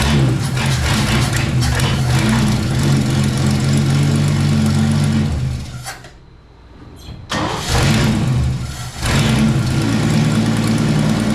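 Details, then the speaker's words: 1963 Chevrolet C10 that had been flooding, just after a new carburetor was fitted: engine catches after a brief stall into a slightly uneven idle; rough idle still needing carburetor idle adjustment. "a she runs she needs a little adjusting I think the old door gasket just bit I don't see nothing leaking"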